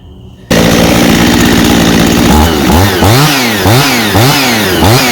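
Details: Husqvarna 51 chainsaw with aftermarket piston and cylinder, likely a big-bore 55 kit (high compression), running after carburetor cleaning for a no-start from sitting with old gas: starts, idles evenly, revs cleanly up and down without stumbling or bogging; running properly.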